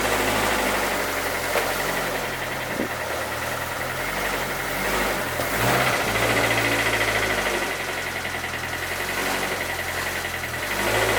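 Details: 2007 Lotus Exige track car, about 80,000 miles, that spun its rod bearings at a track day and is being moved: a rough, uneven rod knock at about three to four times a second under the engine note. The bottom end is gone.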